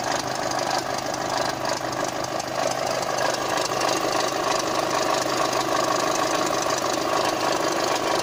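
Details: VW Golf 5 GTI TFSI petrol engine at idle: light, slightly uneven ticking clatter about three times a second over the steady run, source unclear; abnormal noise at idle.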